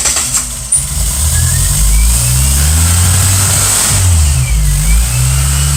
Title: 1997 geo metro no start condition